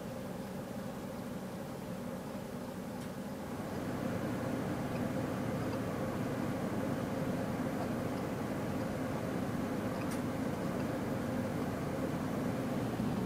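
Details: Home 100TB server after replacing stock fans and heatsink with PWM Noctua fans, BIOS standard/normal profile: steady soft airy hum, no ticking, rattles or bearing whine; quiet, normal.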